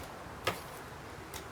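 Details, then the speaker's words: ST&G K1-K3 Green Family prosthetic knee: two sharp clicks about 0.9 s apart as it flexes, because the stance flexion adjustment is too loose. Properly adjusted, with about 1.5 threads or less showing, it is silent. "now if you really loosen this it will make a loud pop and it will really lock out the knee and you can see how it increases the noise it's very loud noise"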